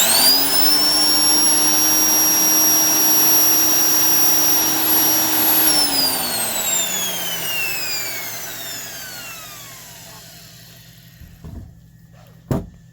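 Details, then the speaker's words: Black & Decker 92E heavy-duty 7" sander (9 amps, 4250 rpm) after service, gearbox greased, no wheel fitted: smooth steady high whine with low hum for six seconds, even spin-down, no rattle or scraping; healthy motor. "Just sounds like one of those old vacuum cleaners, not the modern ones with really high-speed motors, but that's the beauty of these tools. They really are just a nice, smooth running, nice sounding."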